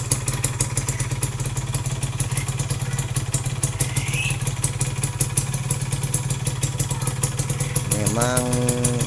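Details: Yamaha F1ZR two-stroke single idling after clutch-side rough-noise repair: quick even popping with light mechanical clatter and a brief blip, running acceptably; some roughness remains, attributed to worn rubber.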